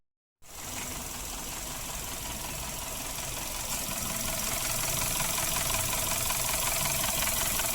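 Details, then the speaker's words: Suzuki Ertiga engine at start-up, rough noise for a week, still present after an oil change, oil like diesel: fast even ticking about two to three per second over idle; VVT sprocket rattle from oil sludge. "pada saat starter itu timbul suara kasar ya seminggu suara kasar seperti ini"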